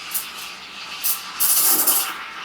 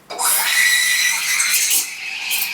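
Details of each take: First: Vibiemme Double Boiler v3.0 espresso machine steam wand in a half-full 20-ounce pitcher: loud hiss with sharp spluttering bursts and harsh shrill rise; wand creating big bubbles, undesirable frothing. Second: Vibiemme Double Boiler v3.0 espresso machine steam wand frothing milk in a half-full 20-ounce pitcher tilted 45 degrees: steady hiss with soft swishing flutter, no screech or gurgle; proper froth building.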